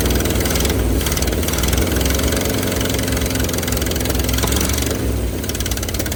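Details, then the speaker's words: 1971 Ford F250, parked 30 years, at −15°C on booster cables after possible flooding: low, lumpy V8 idle, a little uneven but keeps running and smokes a bit; stuck passenger-side valve and likely bent pushrods suspected. "But it ran. Smokes a bit. She ran though."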